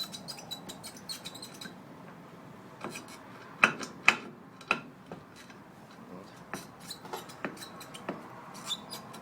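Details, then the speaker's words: VAZ 2107 driveshaft: thin, high squeaks and sharp chirps at an uneven pace as the old universal joint is flexed; its needle rollers were rusted inside, causing squeaking and humming while driving; replaced with a new greaseable joint. "и звуки издает при езде Вот она старая крестовина которая скрипела гудела заржавели внутри ролики"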